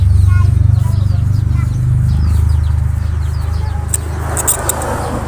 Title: fuel pump pala bakit hard starting